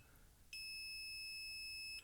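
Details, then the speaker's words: Bowens Gemini G500R studio flash that won't fire, display board; meter beeps about 1.5 seconds between ground and supply pins, one to two ohms, a short, possibly a broken LED shorted and blew the microcontroller, unconfirmed. "So, there's a short on this display board and there's not much on the display board apart from a couple of transistors, the microcontroller."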